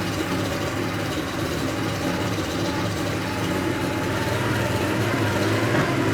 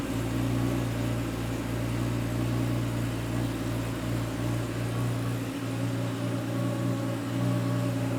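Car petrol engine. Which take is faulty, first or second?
first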